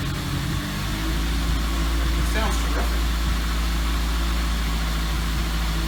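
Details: Toyota 2ZZ-GE engine reinstalled in MR2 Spyder, first start after reinstall: low, steady idle hum, even and settled with no misses or ticking; runs much better than previous rough attempt.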